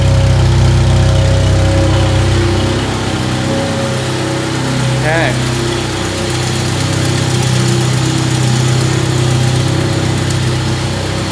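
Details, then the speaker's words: 1997 Jeep Wrangler 2.5L, loose and missing exhaust manifold bolts and blown manifold gasket, before cat-back exhaust install: steady idle with a quick regular tick about four per second from the manifold leak. "on the manifold are loose and missing and the gaskets blown out"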